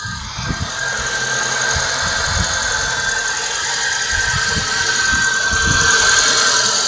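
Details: Nissan Tiida 1.6 manual, idling: steady high whine from the clutch release bearing; fixed by replacing the clutch kit (Valeo).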